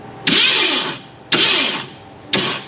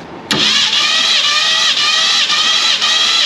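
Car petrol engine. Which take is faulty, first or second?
first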